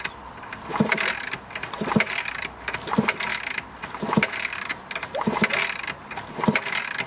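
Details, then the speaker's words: Yamaha RS125 DX 125cc, fresh oil after at least 10 years and new casing bolts: kicked over by hand, slow thumps each pushing against compression. A thumb over the spark plug hole confirms good compression. "Yeah, there's definitely compression. I'm can get my thumb on there somehow. Yeah, I can. It's definitely compression, so that's good."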